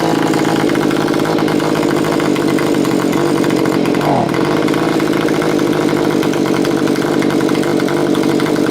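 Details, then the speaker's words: Stihl BG55 leaf blower two-stroke after carburettor adjustment (low screw 3 turns out, high 2 turns out). It holds a steady, even buzzing idle without surging or stalling and is running like a top. Normal idle. "after I have it seems to be running like a top tried a few more times and just make sure everything's okay"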